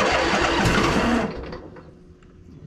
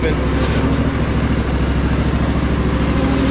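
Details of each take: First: Crusty Poulan Pro zero-turn: a sluggish, dragging crank for about a second before the engine catches. The owner suspects the solenoid needs a better connection. Slow cranking. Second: Crusty Poulan Pro zero-turn, deck engaged: a steady engine drone under load with no grinding or rumble from the spindles, which are very quiet. Normal running.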